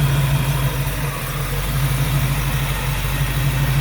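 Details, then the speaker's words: 1934 Chevrolet modified all-steel two-door with 700R4 automatic and A/C, warm after almost 30 minutes of running at about 195–198°; low, steady idle rumble with an even beat and no knocks or ticks; healthy. "sunken shaved tail light frames nice little low idle Rumble even though this video is PR near 20 minutes long the cars have been running almost 30 because of all the pauses"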